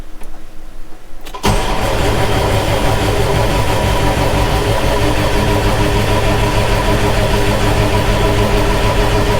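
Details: John Deere 6170M tractor diesel after an engine rebuild, on a NOCO booster: the starter cranks steadily at about three beats a second for eight seconds without firing; an untightened line on the common rail was bleeding off fuel pressure, causing the no-start.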